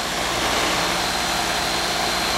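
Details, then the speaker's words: Capillary-tube AC condensing unit with mismatched equipment, restricted pleated filter and half the needed return air: a loud, steady, strained compressor hum. Overcharge has liquid flooding back, suction line at 32°F with 0° superheat; some refrigerant must be removed. "Look at the temperature coming back on my liquid line, my suction line. 32° flooding back like a [ __ ] So, I'm going to have to take some out."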